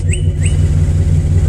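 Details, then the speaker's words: Chevy with bad ignition coil pack on cylinder number one, before replacement: idle chugs with a regular stumble, one cylinder dropping out; misfire from bad ignition coil. "so this is what your car sounds like with a bad coil pack it's messing and it's running [Music] rough here"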